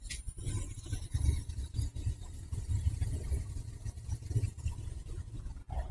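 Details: Boiler after zone valve replacement, thermostat calling, damper open: steady low rumble of the burner lighting and holding an even flame, no banging or puffing; firing normally.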